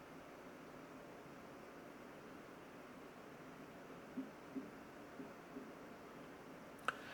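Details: Eco mode on a 2025 HP Omen Max 16 gaming laptop with an RTX 5080 and a vapor chamber cooler: a faint, steady, even airflow hiss with no whine or rattle. Normal, quiet fan noise.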